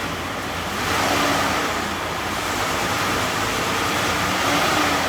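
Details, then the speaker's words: 2012 Chrysler Town & Country minivan, 186,000 miles, after sitting in a field for years; wheels turning through all gears after a shift solenoid pack, fluid and filter change. Even drivetrain whirring, no clunks or slipping flare; normal transmission operation. "got the transmission working, we got the AC ice cold, and I want to just point out that I did originally say this had 188,000 on the dot."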